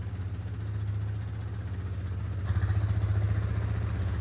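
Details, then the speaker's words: 2010 Polaris Sportsman 550 XP ATV, 469 hours, 3,000 miles, idling after stripped oil drain plug repair: low, even single-cylinder thump holding steady without stumbling or knocking; engine sounds really good. "3,000 miles. Engine sounds really good on this thing. Got the power steering."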